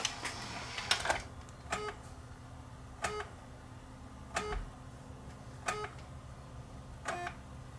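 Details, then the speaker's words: Thrift-store DVD recorder loading a DVD+RW disc: soft clicks with short whirring bursts about every second and a half, retrying without settling into steady spin; displays cannot read, check disc; abnormal drive mechanism noise, drive to be removed for inspection. "doesn't sound good it says reading cannot read please check the disk so i guess i guess we're pulling the drive apart to see why it's not why it's not reading"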